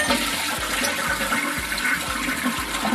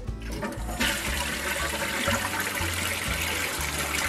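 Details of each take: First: Briggs Vacuity 4400 series vacuum-assist toilet, bought new in 2000, after replacing the vacuum tank seal gaskets (wing coupling and vacuum seal): strong rushing flush with rhythmic low gulps about twice a second, the "beautiful chugging" of a working vacuum chamber; normal flush. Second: Briggs Vacuity 4400 series vacuum-assist toilet, bought new in 2000, before seal replacement: plain rushing flush with no deep glug at the end, so the vacuum tank gives no boost; leaking vacuum tank seal gaskets blamed; weak flush, vacuum-assist not working.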